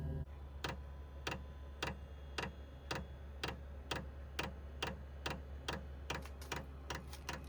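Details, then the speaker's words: 12V 8kW diesel air heater running: crisp dosing-pump ticks about twice a second over a steady blower hum, blowing nice hot air; normal heater operation. "This thing's working great. Blowing in some nice hot air."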